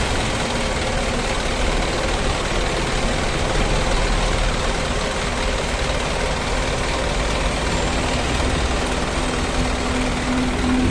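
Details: Isuzu NQR 5-ton diesel truck idling steadily after replacing a faulty sensor and clearing codes, previously hard to start, shaking and weak; now even low rumble, no misfire.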